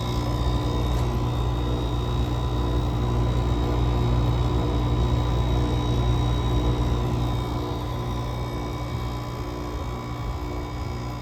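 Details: GE AWS05LSK1 5050 BTU window air conditioner with a Samsung rotary compressor, cold-started at 15°F with frost building. Steady low hum with a faint constant higher tone as the warmed compressor runs below its rated outdoor temperature, oil now lubricating freely.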